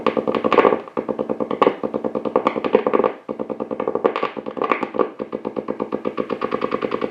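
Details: Blaupunkt Florenz shortwave/AM/FM radio, probably 1960s, with broken dial strings; rapid putt-putt pulsing, five or six throbs a second in bursts through the speaker, motorboating. Owner suspects a capacitor or bad connection; chassis must come out to trace it.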